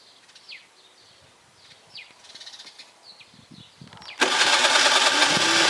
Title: scooter won't start after winter gilera dna 50